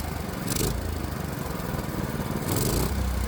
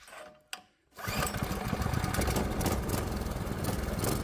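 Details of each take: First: Predator 212 engine after swapping in an adjustable H60 carburetor with a working governor; a steady, even single-cylinder drone with no hunting or surging and two brief speed lifts. Running cleanly and normally. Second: Predator 212 Hemi single-cylinder engine on the bench with a new H60 adjustable carburetor, straight out of the box: after pull-start settles into a fast, busy putter well above relaxed idle; idle set too high.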